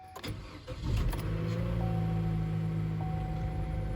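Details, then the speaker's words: 2014 Chevy Cruze LT 1.4L Ecotec after a tune-up with Autolite iridium plugs: short crank, catches quickly, then settles into a smooth, even idle with a steady low hum; it sounds a lot better, a normal start and idle. "And there she goes. Fired right up. Does sound a lot better."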